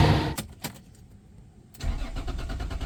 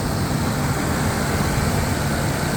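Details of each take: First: Mercedes-Benz W124 with 1JZ distributor engine that previously idled shakily: starter cranks steadily for a few seconds but never catches; no spark at plugs, found a loose, corroded wire connection; ECU replaced after. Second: Mercedes-Benz W124 with a 1JZ distributor engine after replacing the water-damaged ECU: starts at once and idles with a steady, even rumble, no stumbles or hunting.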